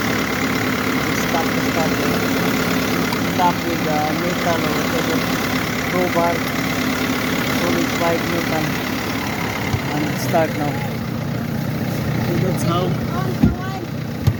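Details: Mercedes-Benz engine after a no-crank, no-start complaint (persisted with new battery); starter motor accessed under engine cover; settles into a steady, even idle with no misses or knocks, light background chatter; normal idle.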